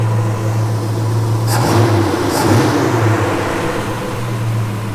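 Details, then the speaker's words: 1977 Chevy Nova Concours V8 after replacing a smashed, leaking carburetor-to-intake gasket, new plugs, wires, cap and rotor, and carb adjustment: even steady idle with smooth low rumble, no stumbling or hiss; normal idle. "I adjusted the carburetor as much as I could, and I think it's running better now. Now I'm gonna go ahead and get it started for you so you guys can see how it works. Sounds really nice. It's not that bad."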